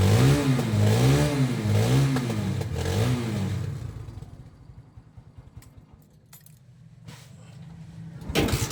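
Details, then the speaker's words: Barako 175 motorcycle, started cold after carburetor, cam and valve clearance adjustment to cure hard starting, catches on one press, revs up and down with a wavering note, then settles to a quiet, even idle; normal easy start. "Isang start lang madali na siyang paandarin."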